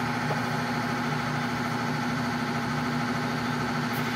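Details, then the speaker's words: Whirlpool LSP 780GP washer, formerly noisy on spin and leaking water, after the bearing and oil seal were replaced: a steady, even spin hum with no rumble, knocking or grinding; quiet, a normal spin. "Tahimik na siya."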